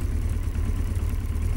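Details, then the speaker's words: Yamaha XJ900S Diversion after the final fix, idling as it warms up after a cold start: steady low idle with even beat and no hunting, sounding better than right after starting. "Sounds a bit better."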